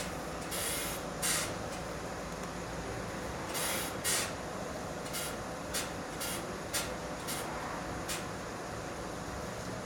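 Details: Renault Fluence driving: short, sharp creaks come through repeatedly over road and wind noise when the wheel is turned, mainly to the right, and also over bumps at low speed. A steering creak when turning, source unknown, likely in the front.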